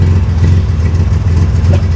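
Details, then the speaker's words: Misfire heard as lumpy idle with uneven skipping beat in deep exhaust note; not ignition-related, owner suspects plug fouled by coolant. "Um, and of course, you can hear that misfire, and that is not caused by ignition. That's caused by a foul plug because of coolant or something."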